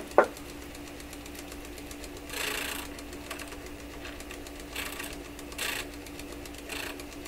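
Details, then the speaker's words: Webster record changer motor in Electrohome Chippendale console, powered on after repositioning the motor, which slowed it: steady hum with soft knocks coming round each revolution; owner suspects the rotor whacking against something, unconfirmed. "Well, you know what it sounds? It sounds like the rotor is coming around and whacking against something every time it goes around."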